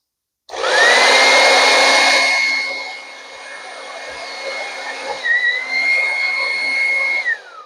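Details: Revlon hair dryer that cuts out, with its cord bent where it enters the handle. The fan whine sags, surges and dips unevenly, then cuts out abruptly. Intermittent power loss is suspected to come from a broken cord wire at the strain relief.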